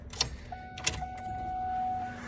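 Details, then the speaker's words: Twin-turbo LS-swapped Mustang with Holley EFI and Powerglide, key-on before start-up: a couple of clicks then a faint steady electric hum of the fuel pump priming normally; no leaks. "i hear the fuel pump i don't see any leaks"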